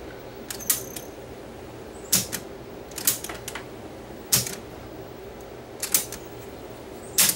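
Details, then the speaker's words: Sansui SC1110 Direct-O-Matic cassette deck during overhaul, motor plugged in after belt replacement: faint motor hum broken by sharp clacks every second or two as the transport kicks out because the auto-stop isn't hooked up yet; belt centering fine. "that's working uh the auto stop's not hooked up that's why it's kicking out but that part's working and the belt is centering"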